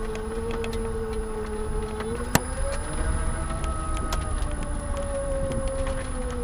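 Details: 2015 Nissan Leaf 24 kWh driving: new thin tonal squeak from the front, pitch drifting with speed over low road rumble.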